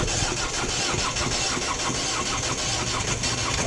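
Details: 2010 Ford Focus 1.6 TDCi diesel after starter replacement: steady cranking around four beats a second on a weak battery with jump supply at 13.1 V, never firing despite an hour of on-off attempts; crank-no-start, computer diagnosis next.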